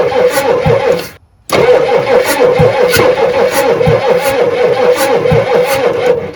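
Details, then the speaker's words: 1986 Ford F350 6.9 IDI diesel, started with ether: starter turns it over in slow, heavy pulses, roughly two a second, and it doesn't catch; a weak battery dragging the crank. "Another little dose. Cranking a little slow. It wants to live."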